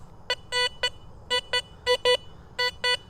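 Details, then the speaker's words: Garrett Vortex VX9 metal detector with bottle cap reject at 5, in a very trashy park area: short, choppy, broken tones, iron-range pings and jumping target numbers; judged a junk iron target, not a bottle cap. "Jumping all over the place. And as I change direction, there's a lot of pings in the iron range. Upper iron, a little bit of bounciness in the middle, which is a coin-like target. But that audio and those numbers tell me this is junk."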